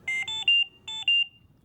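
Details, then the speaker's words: Trilogy100 ventilator high-priority alarm: three quick high beeps, a short pause, then two more, alerting to critical patient breathing or ventilator issues. "That's 3 beeps followed by 2 beeps."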